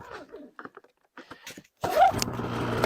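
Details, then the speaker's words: 2015 Polaris Pro S 800 HO snowmobile, thought seized but the clutch was sticking. With the belt back on: light clicks and rattles (the electric start only clicks; starter or solenoid suspected), then it catches at once and settles into a steady buzzing run. "there she goes. She sounds good. And the belt's back on there now."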